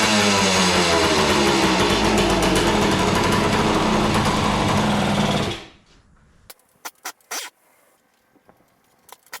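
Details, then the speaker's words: 1976 Suzuki TS185 two-stroke, sat for years, unclean carburetor suspected: fast, even buzz that cuts out abruptly once put into gear, leaving only handling noise; stalls under load. Carburetor was later rebuilt. "okay what why why do you do that okay it went into gear and then it died"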